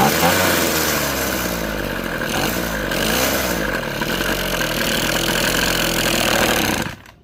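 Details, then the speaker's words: Echo SRM-2320T string trimmer, a heavily used curb find: it runs high and revs unevenly, wandering up and down before cutting out. It starts and runs; the owner rules out spark and suspects a carburetor worn out from many hours of use. "All right, so diagnosis here, I could tell it's a start and run. To me, I don't think it has anything to do with spark. I just think the carb itself is already worn out."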